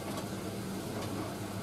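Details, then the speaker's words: Indesit IS31V 3kg compact reversing tumble dryer running with about a 2 kg load: soft, even drum rumble at low volume with no knocking, rattling or vibration; quiet and healthy. "it's a lot quieter than the uh cradles and it doesn't vibrate at all that's really about it to be honest"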